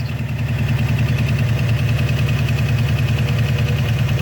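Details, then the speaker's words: Worn engine with a bad lifter: fast, slightly lumpy idle. The timing light reads 21 degrees, a little advanced, so the distributor is turned counterclockwise to retard it toward about 10 degrees. Over-advanced ignition timing. "and it looks like on the timing light here at 21 degrees our tdc mark is lining up so it's a little advanced"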